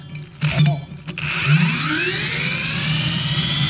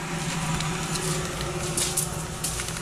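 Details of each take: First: Blower motor just rebuilt with two new bearings after one had a bad bearing, bench spin test: spins up with a climbing whine, then holds a smooth steady hum with no grinding or rattle. Normal running after repair. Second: Shop-made woodworking blower motor on its stand, spun up and spinning down: a steady low hum with a rough, gritty hiss and scattered ticks, compared against a quiet good motor; a worn bearing, later disassembled for bearing replacement.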